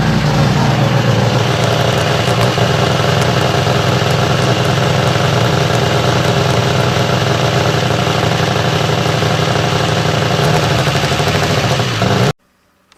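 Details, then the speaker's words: Honda Civic with a twin-scroll top-mount turbo build (650 hp goal, twin Tial wastegates), on its first start-up after the upgrade. Loud, rough, steady idle with a busy mechanical clatter over the exhaust, later traced to parts clearance issues. "u can hear in this next clip that we were having some clearance issues and I was just assumed that since we were beefing up some of the parts that we were gonna have you know a louder engine running and went with that until seeing that we were having some clearance issues later"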